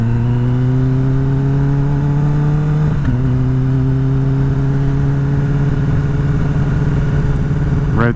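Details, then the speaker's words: 2021 Kawasaki ZX-10R, warm engine at low speed: slightly choppy, uneven running, smoother over 45 mph and fine in third gear; owner finds it touchy on gear choice, cause unknown. "hear that that's the noise i'm talking about it's just kind of choppy it doesn't feel that bad you know but i can hear it and it's driving me crazy"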